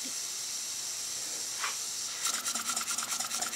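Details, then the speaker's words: Restored Robert Fulton vertical toy steam engine, boiler hard-soldered, fired with Sterno, under 5 psi suspected: quick hissy chuffs about two per second, fairly even beat; runs very nicely. "runs very nice I suspect there's less than 5 lbs of pressure in there it isn't much"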